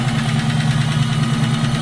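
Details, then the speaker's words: V8 with link bar lifters, chilly day, idling after cold start with longer (1/16 inch) pushrods fitted: smooth idle with light quick ticking, slightly quieter than with previous shims; normal tick of this lifter type that won't go away. "yeah seems like it's a little bit quieter than it was with those 45,000 shins on it so it's not going to go away cuz that's what it does"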